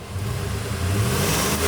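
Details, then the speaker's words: 2005 Ford F-150 5.4L V8 after full aftermarket exhaust replacement, warmed up and revved: smooth rise with mild, deep exhaust tone, no rattles or leaks; sounds close to stock, normal. "Mild note, it sounds really stock and nice. I really like that. It's not too much."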